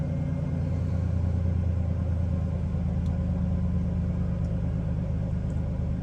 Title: Nearly dead battery. Very rough idle. Silverado cranking.